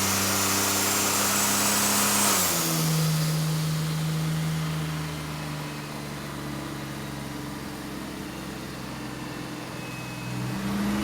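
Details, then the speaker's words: 1981 Datsun Bluebird 910, built VQ35 turbo (Elgrand bottom end, forged pistons and rods, VQ30 heads, Kelford cams) on Haltech, after cam timing fix: revs step down from high into smooth even run, all six firing cleanly. "sounds like that um cam timing's right this time around Timmy it sounds better it sounds good running on all six"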